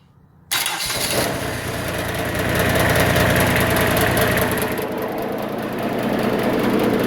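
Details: Kubota ZD28 mower diesel, started by bypassing a failed starter relay, previously hammered on but believed fine: starter spins briskly at a steady rate, then catches cleanly within a second and runs evenly; starter is fine, switch suspected faulty.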